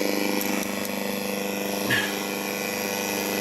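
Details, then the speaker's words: ZX Spectrum on a 9 V Grandstand power supply, TV screen black: a steady buzzing hiss with fast rasping flutter from the TV speaker. The TV is out of tune and needs a retune; the owner suspects the supply gives more volts. "Oh God! I think that's either out of tune. I'll turn you around. That's really not good."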